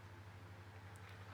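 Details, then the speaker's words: Tesco DF96 9-inch desk fan on low speed, started via the blue three-position dial: steady low hum with a faint pulsing warble; owner suspects the motor is a bit worn from long storage, otherwise runs well. "Yeah, you can hear it now. I think the motor is I think the motor's a bit worn out of it being stored away after goodness knows how many years. Apart from that noise, still runs quite well."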